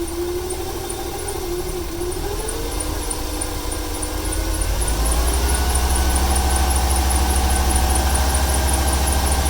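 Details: 1995 Ford 300 inline-six with over 400k miles: uneven idle with a wandering tone that climbs and settles, plus a faint steady tick about three per second. It stutters more on throttle. Owner wonders whether fuel or timing is to blame.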